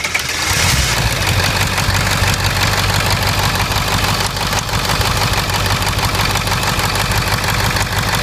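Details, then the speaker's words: 2002 Ford Expedition 7.3 Power Stroke, long crank/no start when hot, valve covers off: fires and settles into a rough, clattery idle while a failed injector seal pumps oil out, bleeding off oil pressure; dual ICP test did not show it. "okay as you can see there with this one pumping all the oil out that's going to be my problem and believe it or not that did not show up on a dual ICP test"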